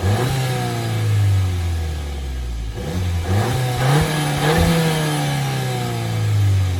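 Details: VW Jetta GLI MK7, owned about a year, stock factory exhaust: starts and settles to a quiet even idle, then a few clean blips rising and falling smoothly; normal healthy engine, owner dislikes the muted exhaust.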